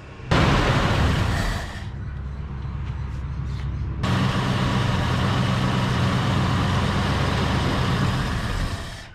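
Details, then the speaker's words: 1972 Ford F250 Ranger XLT Camper Special running on its mechanical fuel pump, leaking carburetor: deep rough note sags and drops out about two seconds then catches; pump not keeping up, fuel starvation stumble. "fuel pump just ain't getting it done"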